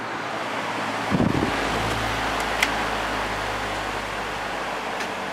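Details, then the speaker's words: Air King 9218 fan after repairing the back cover, starting up on high speed. A steady airy rush with a faint motor hum and no rattle, scrape or ticking; runs smoothly. "here's a startup sound on high"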